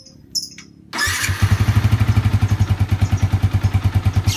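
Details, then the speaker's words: Yamaha Vixion motorcycle engine after reboring and repair of a ticking noise that followed the throttle, attributed to a worn piston and block: engine catches and settles into an even, quick idle with no tapping or slap; sounds healthy. "suaranya halus banget ya halus adem teman-teman"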